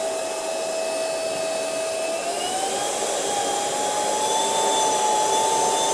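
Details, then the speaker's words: Ultenic U10 vacuum at speed 1 with microfibre brush on a heavy dust pile: steady high motor whine steps up in pitch after two seconds and holds higher as the infrared dust sensor automatically raises speed. "Donc vous voyez, grande efficacité quand même en vitesse 1, et vous avez vu que la vitesse augmente automatiquement avec la grosse quantité de poussière, et ça c'est plutôt pas mal."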